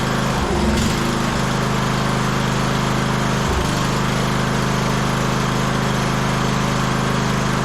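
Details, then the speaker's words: 1998 MTD Yard Machines 15.5 hp lawn tractor, off choke, drones but sags and stumbles and won't idle well while running better at full throttle; a dirty carburetor is suspected, and a new carb was later fitted. "it was off choke which was good but uh yeah it didn't really want to idle there"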